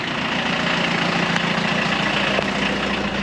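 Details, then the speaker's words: 1984 VW Rabbit Mk1 diesel, parked 26 years, idling after revival: steady, even diesel clatter with no misses or knocks and no smoke. Normal diesel idle. "this thing is running awesome [Music] no smoke or"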